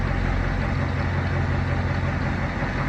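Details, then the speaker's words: Fire truck Caterpillar 3208 turbo diesel, sat almost a year, just started on new batteries with alternator disconnected (alternator blamed for wiring short); steady even low diesel idle, no knocks or misses; normal idle. "Fire right up though, it's been sitting for almost a year."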